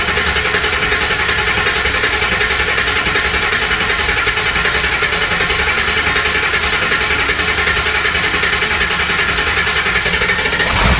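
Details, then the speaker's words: 2002 Ford F350 7.3L diesel, 238K miles, after cracked injector cup repair, injector O-rings and a new passenger-side injector harness: even diesel clatter at steady idle, no misses, runs fairly smooth, still puffing some smoke clearing out. "but it's running. And it runs fairly smooth, actually. So I think we have success on that part."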